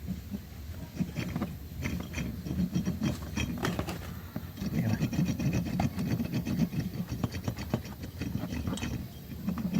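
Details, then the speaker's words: Yamaha Aerox 155 V2 with a typewriter-like noise: removed camshaft inner bearing, barely over a year old, spun by hand gives a gritty, uneven rumble with scattered clicks; rough, worn camshaft bearing, noise transmitting through the housing. "So yung ingay nito nagta-transfer lang dito. Kumbaga nata-transfer lang dito sa box, kaya dito sa housing ng Polar, kaya yung tunog niya ay parang medyo solid na ano, na magaspang. Pero ibig sabihin, hindi smooth yung bearing ng pag-ikot."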